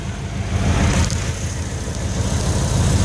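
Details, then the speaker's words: 1988 Ford Econoline wheelchair-lift van idling, fires right up every time; steady low rumble with even smooth beat, no knocks or misses; runs and drives great, normal idle. "it's a good old van so I assure you it runs and drives great"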